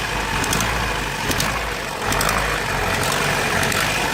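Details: Vauxhall Astra G, X reg, 1.6 8v X16SZR petrol; severe misfire when cold, fine when warm; clicking always present when accelerator is pressed; uneven stumbling idle with light ticking; cause unknown, owner asks for guesses.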